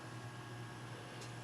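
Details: IBM ThinkPad (Pentium M 1.5, 1 GB RAM, no drive, dead CMOS battery) booting to BIOS: soft steady low hum with an even airy whir, no ticking, rubbing or surging; cooling fan spinning normally.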